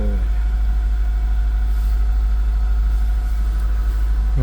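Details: 2002 Acura RSX with K20 engine, after starter replacement for a no-start: low, steady idle hum with no misses, hunting or starter grind; the engine is idling smoothly.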